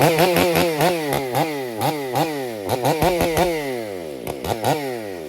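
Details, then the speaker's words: Husqvarna 562XP Mark II modified chainsaw, warmed up, bucking oak: at half throttle the engine warbles and burbles, pitch swooping about three times a second; four-stroking at part throttle. "That was a little four stroke because I was half throttle. A lot of it depends on how you're running your saw."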